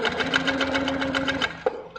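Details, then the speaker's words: Handi Quilter Capri sitdown longarm, stitched while turned manually: quick, even stitching clatter with a steady tone and a sharp catching sound because the top thread tension is too tight; tension is being reduced but still too tight afterwards. "so it looks to me like the top is too tight so I'm going to reduce the tension"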